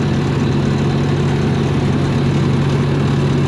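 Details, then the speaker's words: 292 Chevy inline six gasoline engine on a 703 UniSystem power unit, after timing fix: straight pipe exhaust with no muffler gives a loud, deep, even idle drone, raw unmuffled firing, no misses; healthy. "For not having, well, there's no muffler on this thing. That's straight pipe. Not that we can see very well. Yes, but the exhaust is straight pipe."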